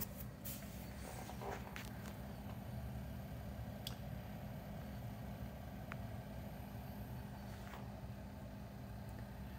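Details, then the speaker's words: BougeRV/Colzer van fridge-freezer comparison for a 1984 Vanagon, fridge just switched on set to max: quiet, low, even hum with soft airy rush, like an air conditioner, few stray clicks; fan and compressor running normally. "i would say it's the noise of an air conditioner it's pleasant it's not bad"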